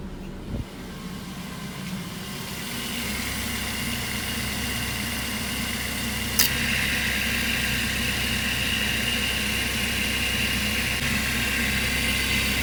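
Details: 2008 Mazda 3, nearly 200,000 km, idling with AC on after new serpentine and AC belts: steady even petrol idle with one sharp click partway as the AC clutch engages; startling but normal compressor cycling per mechanic friend.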